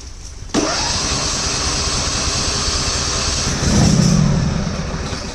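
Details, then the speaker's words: Husqvarna GT52XLSi lawn tractor, 24hp Briggs & Stratton, after replacing the carburetor jet O-rings, first start, not cold but not really warm: cranks, catches, settles into a steady fast even idle, revs smoothly; no surging, runs perfect. "okay maybe this time yes anyway purrs like a kitten real fast it's not really warm you nice place"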